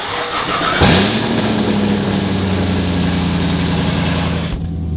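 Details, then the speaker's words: Cold start of a Camaro whose exhaust header is hanging loose: the engine catches into a loud, raspy, blatty idle with a steady low drone, sounding like a truck. Exhaust header leak. "let's do a cold start it's going to be loud so so bear with me cuz like I said the header is hanging"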